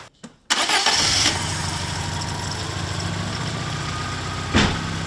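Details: Cranking test with a battery tester on a battery reading 47% health, 351 A, 82% charge: brisk 747 ms crank pulling voltage to 11.72 V, catches straight away and settles into a steady, even idle; healthy start.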